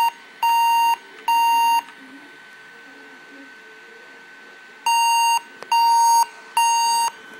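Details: Averatec 3200 series laptop won't boot: screen stays black with faint orange-red and blue lights, and it gives two long high beeps, a pause, then three more, each about half a second; a power-on error beep code, cause unknown.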